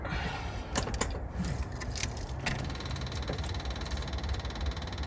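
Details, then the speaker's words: Engine cold-started on an 8°C morning, running off choke: fast light ticking of electric fuel pump priming normally over a low rumble, with fruity-sounding exhaust. "got an electric fuel pump I can hear that ticking away oil pressure is now alive"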